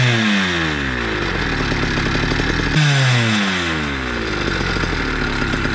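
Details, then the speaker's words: Motorized bicycle two-stroke with a cheap chainsaw pumper carb being tuned: revs keep sagging and burbling, then climb back in uneven bursts with four-stroking stutter; running rich, with sputtering, RPM dropping fast then recovering, risk of stalling. "Rich, excessive smoke, sputtering, four-stroking. Cylinder not as hot, RPM dropping fast, and then back up to its happy place, which could lead to stalling or dying."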